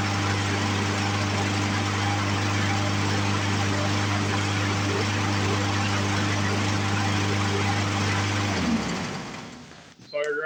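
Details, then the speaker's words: Poulan Pro push mower with a Briggs & Stratton 550EX engine after carburetor cleaning: it starts on the first pull and restarts without primer. Steady, even single-cylinder beat with no misses or surging, then a clean shutoff; carburetor issue fixed. "first pull, much better than it was. And let's try to restart it without primer. Okay, so safe to say that we have fixed our carburetor issues that we were having."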